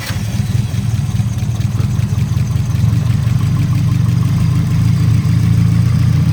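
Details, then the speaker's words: 1989 Nissan 240SX at 60% injector duty, passed compression: lumpy uneven idle with slight misfire; unplugging one injector causes no change, so that injector is judged faulty. "All right. It's like misfiring a little bit. And notice that this injector, if I unplug it, see there's no change. I plug it back in. It kind of gets better and then it gets doesn't change. So, I'm thinking this injector is bad."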